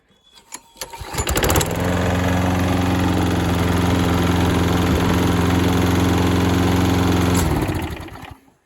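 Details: Auction lawn mower sold as not running, after new air filter, pull-started: smooth but slow, lazy steady drone; rpm too low, governor spring too slack.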